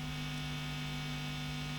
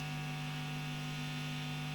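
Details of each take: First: Marshall JTM45 MKII model 2245 amp, chassis open, during bias and hum balance adjustment: steady low electrical drone with buzzy overtones; hum balance set away from its null point lets excess mains hum through. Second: Marshall JTM45 MKII Model 2245 valve amp with chassis open, bias pot being set around 43 and 40 mA: steady low mains hum with faint overtones, no crackle, reaching a null point of minimum hum; normal.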